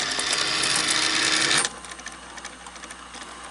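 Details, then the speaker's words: Sanyo VCR 4000 Betamax top loader after tape got wrapped: fast even mechanical chatter about four per second, then drops off quiet; dried-out, completely shot idler belt slipping badly. "look at that belt that belt is just slipping like you wouldn't believe"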